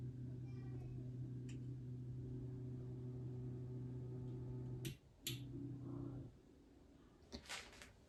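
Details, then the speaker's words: Anycubic Mega S 3D printer upgraded to TMC2209 stepper drivers and Klipper on a TriGorilla board: only a soft, steady low motor hum; very quiet, healthy stepper operation. "it's already amazingly quiet just listen to"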